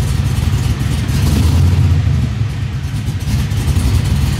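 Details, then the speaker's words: LS-swapped 1973 Nova, light quick throttle blips to about 1500 rpm: deep V8 rumble stumbles with a skip or miss; cause unconfirmed, owner plans data logging for tuner and spark plug change. "it gives a little hesitation um hard to describe but kind of a little skip or a little miss or something like that with a little bit of throttle input quick throttle input"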